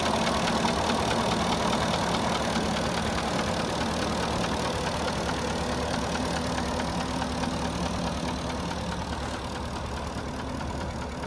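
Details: Porsche Cayenne 4.5 V8, warm, idling: steady, fairly even light knock about two per second riding over the idle; piston slap.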